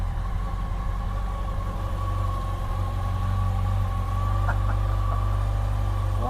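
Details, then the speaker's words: 2007 Yamaha FJR motorcycle, replacement engine just fitted after the original died, first start: catches and settles into a steady, even low rumble with no knocks or misses; owner says it sounds far better than the old engine. "Oh man! Wow! Wow! This sounds a lot better than the engine that was in it."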